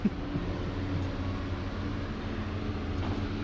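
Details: Logging truck diesel just back from a tune-up that cured a long-standing high-speed chatter and rattle: runs with a smooth, even low drone and no chatter or rattle on top; sounds healthy.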